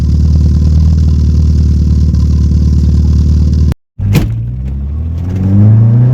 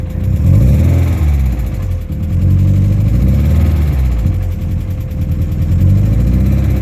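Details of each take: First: VW Golf Mk1 first start after adjusting the timing, heard at the rear: even, steady idle with no ticking or misfire, then a clean smooth rise as it revs; runs much cleaner than before. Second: VW Golf Mk1, cold start during ignition timing check: idle lopes and wavers with an uneven beat and occasional slight miss; ignition timing set too late.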